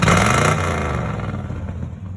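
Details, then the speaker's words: Rebuilt 1967 Chevrolet C10 V8 with four-barrel carburetor and small-pipe glass pack exhaust: catches with loud deep roar, settles into steady throaty rumble; clean normal startup. "Both my uncle's and my grandpa's trucks always had that small pipe glass pack sound, so had to stick with that."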